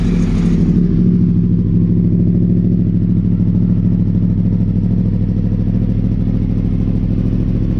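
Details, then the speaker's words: Crossplane-engine Yamaha R1 idling after repairs, sounding mega clean: deep, even, lumpy burble holds steady with no knocks or rattles; normal healthy idle. "it sounds mega mega clean"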